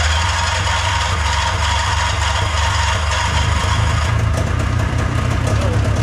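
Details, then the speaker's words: Old snowmachine two-stroke with a new battery and a new fuel filter (the old one had caught rust) starts without priming but boggy, its burble wavering and refusing to settle at idle; idle screw needs adjusting for a dirty carburettor. "but the idle's not working but it's it's really just [Music] okay so this idle screw affects how aggressively it idles and when your carburetor gets dirty you can compensate for it by"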